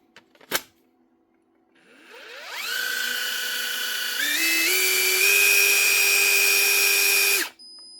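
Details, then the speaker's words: Metabo SSD 18 LTX 200 BL 18V impact driver after gearbox reassembly and greasing: clean rising whine to a steady high tone with no grinding or knocking. Normal free run. "Now, should run a whole lot smoother now. Look at that. Ah, don't tell me now. Now she's turning. That's pretty free."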